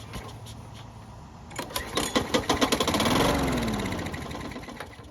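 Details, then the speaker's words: Bolens lawn mower that wouldn't start, started after priming the carburetor: quick sputtering pops, then it runs loud and harsh for a few seconds before dying. Far louder than it should be; possibly a blade problem, cause unknown. "it started, but it was a lot louder than it should have been. However, it could be a blade problem."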